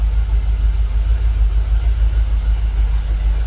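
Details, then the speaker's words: Jaguar XKR with fuel pumps dormant about 10 years, idling at about 800 rpm with 45 PSI fuel pressure: a low, even, steady rumble with no rocking, smoother than before, when it used to stall after a few minutes. "Sounds alright, doesn't it? You can see on the engine, look, it's calmed down. It's a lot smoother. We're not rocking like it was."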